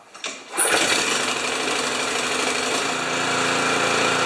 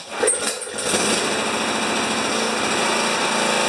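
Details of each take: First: Honda HS720 commercial snow thrower, previously running poorly and backfiring, after fuel tank cleaning: steady high-pitched single-cylinder drone with slight speed surge, no popping or backfire; runs properly. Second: Honda HS720 single-stage snow thrower running the last of its gas: small single-cylinder engine sputtering and surging unevenly, rough running; water suspected but ruled out, cause still unknown.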